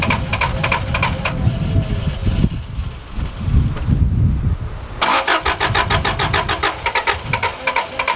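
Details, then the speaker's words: Subaru RS Liberty AWD turbo, parked for 10 years, during its first attempts to start. The engine catches briefly, stumbles unevenly and nearly stalls, then fires again. Owner suspects the injectors are only starting to unblock; a rough, near-stalling start. "he wants to die"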